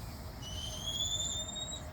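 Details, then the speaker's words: Polytunnel drip irrigation with 3 lines, just after the water is turned on: hissing, then a thin, high whine rising in pitch for over a second before cutting off, air venting through the release valves; normal air release valve whine. "Now you can hear that hissing. You're going to hear a whine in a minute, which will be the air coming out."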